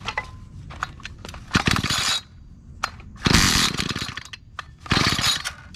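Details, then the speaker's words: Dumpster-found garden tiller after reassembly, primed and pull-started: three harsh, grinding half-second clatters with no running between. Owner suspects something was put back together wrong or left loose; a loud pop later cracked the plastic housing. "Alright, well I put something together wrong. That sounded really bad."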